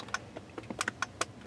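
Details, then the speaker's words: 2006 Ford F250 horn troubleshooting: crisp, irregular relay clicks with each press but no horn sound. The horn had been stuck on and blowing fuses; a shorted horn and bad steering-wheel horn contact pad were the suspected causes. "can hear clicking here the relay so I'm doing this"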